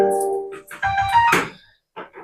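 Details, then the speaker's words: 3055 transistor amplifier after repair, transistors replaced and BC548/BC558 swapped for BD139/BD140: music plays clean and clear with no hum or buzz in quiet gaps; normal amplifier output. "तो आप देख पा रहे हैं friends ये सही हो गया"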